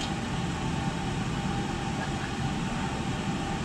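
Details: Oil-fired whole-house furnace after filter change and cleaning buildup so the cad cell sees the flame: steady, even roar with constant low rumble, no cutouts; burner stays running — normal.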